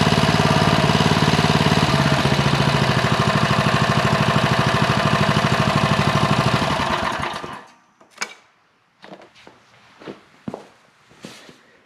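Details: Briggs & Stratton Industrial Plus single-cylinder engine that sat 31 years, first run after carburetor service for a fuel puddle: steady, even putter for several seconds, then shuts down; runs normally.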